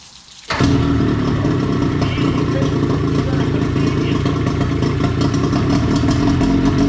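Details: 20 hp Johnson outboard, seven years unused, after new lower-unit seals, fresh gas, new battery and priming: fires instantly after a short crank and settles into a steady, even drone with no sputter; running healthy.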